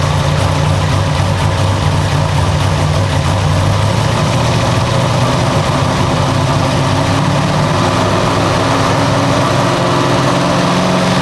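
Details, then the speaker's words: Freshly rebuilt nitrous big-block V8 in a C10 after a spun rod bearing, timing set at 35°: deep, steady, evenly lumpy idle with no knocks or ticks, sounding solid; the belt is loose. "yeah so motor's running sounds good sounds pretty salty sounds solid"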